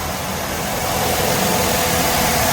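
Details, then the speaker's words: 2005 Mercedes-Benz W211 E260 Elegance, about 70,000 km, after engine-out oil-leak repair and automatic gearbox overhaul, idling with radiator fans and AC running: even, smooth idle under fan and blower rush, no ticking or stumbling. "mesinnya halus banget kan denger ini sini nih"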